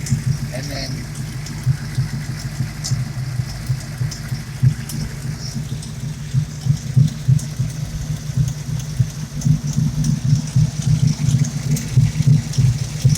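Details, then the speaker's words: Car recently fitted with a Steeda PCV oil-air separator, with the engine claimed at 500 miles: a rough, unsteady idle with rapid puffing about three a second. The owner suspects exhaust leaks on both sides, a bad MAF sensor and possible blow-by. "i have some kind of exhaust leak on both sides but why can't i bug the mass airflow [Music] not steady anymore it's a little bit rough"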